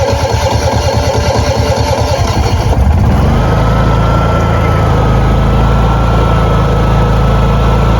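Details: Honda EU6500is generator on propane via Nashfuel adapter, regulator on tank 12 feet away: brief cranking then catch near three seconds, steady even drone with faint constant whine; running smoothly at full speed.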